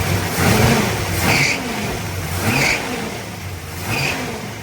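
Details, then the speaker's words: 1972 Chevrolet Nova V8 with Holley carburetor, warm, after choke adjustment, leaner idle mixture and added timing: fairly even idle with a gentle slow rise and fall in speed, running happier, needing minor idle speed and mixture tweaks. "Definitely happier. All right, so a little bit more adjustment to idle speed and mixture."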